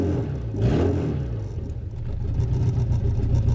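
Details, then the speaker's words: VW Jetta no-start, converter flange bolts undone to release exhaust pressure; catalytic converter suspected full, worsening over time: engine catches and revs freely with steady low drone, no choking; runs once restriction relieved, converter to be replaced. "and then what'll happen is it'll be able to drop off and release the pressure, because I have a feeling that this catalytic converter is absolutely full."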